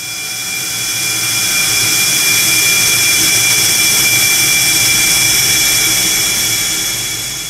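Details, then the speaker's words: Conventional oil-free screw compressor running, the kind BOGE's high-speed turbo (HST) compressor is 10 dB quieter than: loud, steady high-pitched rush with a constant tone, no knocks or surges; normal operation. "Borger high-speed turbo at 10 DB less worlds apart from an oil-free screw and a lot more pleasing to the ear"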